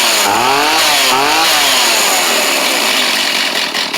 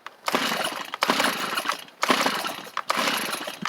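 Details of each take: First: Stihl chainsaw obtained free after sitting an unknown time, which had struggled and possibly flooded: rough revving at first, then it settles into a steady high buzz with a slight pulse. It's firing and running normally. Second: Free Stihl chainsaw: four rough pull-start bursts about a second apart, each sputtering briefly without catching; hit once but won't run, owner suspects flooded; hard starting.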